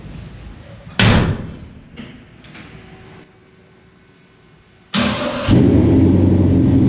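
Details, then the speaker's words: 1967 Chevy C10 V8 with Holley Sniper fuel injection, after topping off transmission fluid; quick crank, catches instantly and settles into a steady even idle, then put in gear and backed out, normal start. "She fires up better than any other sniper I have ever done. Like best best that could be. You hit turn the key on, let your handheld load up, boom, fires right off."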